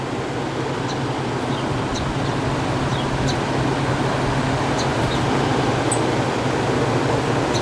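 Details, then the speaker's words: 1967 Chrysler Airtemp 6000 BTU window air conditioner model L06-72, 115V 9.2A, on extension cord, compressor drawing 36 start amps: even fan rush over low steady hum, compressor barely audible, cooling; normal operation. "Actually, it feels like it's cooling. Can't even hear the compressor running."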